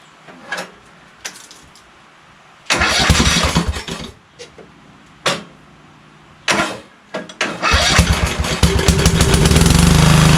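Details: Craftsman LT2000 lawn tractor with Kohler Courage single, after cracked-block oil leak repair: several short cranking tries, then catches and settles into a steady, even run; normal.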